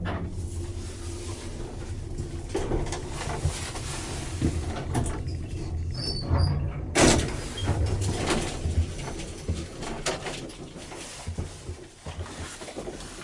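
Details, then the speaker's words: Express Lift Co baggage lift in a hotel, installed around early 1990s, running: low steady rumble broken by uneven thumps and knocks as the car travels; suspected serious bearing problems. "this lift has got some serious bearing problems in fact if anyone use this at say halfast 5: in the morning then the management of this hotel could get some complaints"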